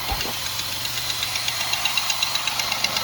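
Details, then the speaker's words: Steady idle at first start after a cylinder head job on a 2005 Buick LeSabre 3800, coolant system being bled, with a sharp even tick about four a second: an exhaust leak somewhere toward the back. "We got a little exhaust leak somewhere. I hear something back here. I'll find that tomorrow."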